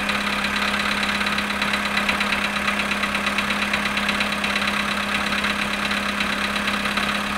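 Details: Cold-start knock on a Polo Sedan engine at −7.5 °C after standing 14 hours: light, quick ticking knock running steadily over the cold idle, cause not clear.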